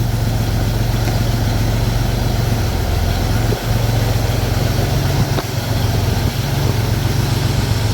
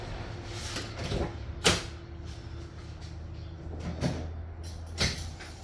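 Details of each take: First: Pontiac Fiero after A/C recharge: steady, even idle drone with no compressor cycling; vents blowing just above 40°F on a ~70°F day, normal efficient operation. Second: Pontiac Fiero idling with the A/C on and gauges attached: the engine dips and bogs with a clunk as the compressor kicks in while low-side pressure drops instead of holding steady; low refrigerant is causing compressor short cycling.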